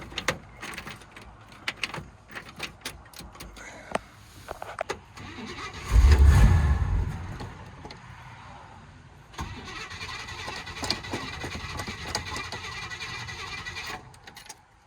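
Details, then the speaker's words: 1957 Chevy Bel Air 2-door hardtop, sitting 15+ years: after old gas drained, new battery, fuel filter, new solenoid, Seafoam and high-octane fuel, a short burst of cranking turns the engine over but it never catches; crank, no start. "Try that one more time. Oh, nothing."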